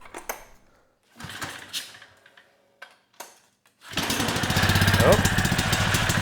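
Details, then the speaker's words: Generac 3500 W generator (model 01313-0, GN220 engine), started after topping up low oil with about 200 mL: the engine fires and chugs lumpily with heavy smoke, never reaching full governed speed; the engine otherwise sounds good and the generator produces power. "I guess on the good news side uh the engine sounds good although it didn't really get up to speed and the generator is working that light turned on"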